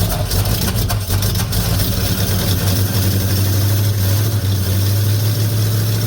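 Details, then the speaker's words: 1950 Ford F1 with Flathead V8 8BA after replacing the leaking exhaust manifold gasket and the missing header bolts, about 45°F outside: deep, smooth, even idle burble with no ticking or puffing; now quiet and healthy. "oh yeah nice and quiet quite happy about that"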